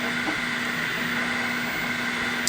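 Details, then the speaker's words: Flashforge Finder Lite 3D printer printing with extruder at 215°C: steady whirring cooling fan, low hum and soft motor chatter; normal, somewhat noisy running. "Noise, yeah, it's kind of noisy as you can hear the fan. I mean, there's a fan, so blowing, keeping it cool."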